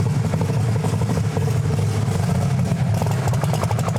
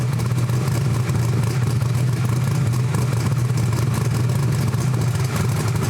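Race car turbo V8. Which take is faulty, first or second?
second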